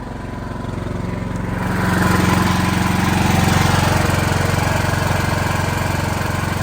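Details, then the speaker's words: Automatic backup generator with automated choke and transfer switch, after a real power-fail cold-start test, not run in a while: steady even engine beat, about three pulses a second, rising slightly then holding smooth; healthy running under light load. "Not much load on it right now, as you can see, it's pretty low. But this will run the entire building if it needs to."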